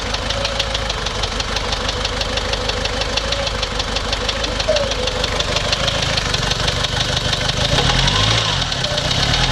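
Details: Toyota Surf 1KZ-TE diesel that stalled after about two minutes at 3,000 rpm and restarted hard: heavy clatter, uneven stumbling idle with a loose knock, smoking, running on three cylinders; owner suspects antifreeze consumption and a blown head gasket.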